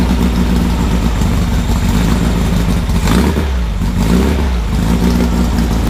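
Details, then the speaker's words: Freshly assembled 1600cc dual-port VW engine on a 1975 VW trike with a big cam, revved during break-in; loud crisp lumpy bark rising and falling cleanly with the throttle, no knocks or rattles, healthy. "sweet this is one hell of a motor listen to that you imagine that on that trip yeah it needs wheelie bars"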